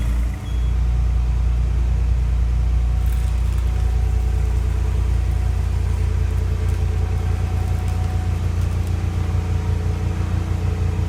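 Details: Fiero GT-chassis Countach replica kit car (1986 Fiero GT base) warming up; idles fast and unevenly, racing too much and shaking the transmission, owner suspects a vacuum leak, not yet diagnosed; high idle.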